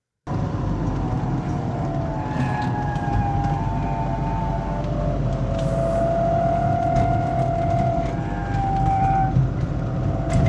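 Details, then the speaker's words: 1988 Volvo 240, first drive after 13 years off the road: a steady mid-pitched gearbox whine over road rumble that changes with road speed. Owner suspects the input shaft bearing or gearbox oil. "So, I don't know if you've been able to hear that throughout this little drive. The gearbox is whining like mad. It's It's probably something like the input shaft bearing, but it's quite loud"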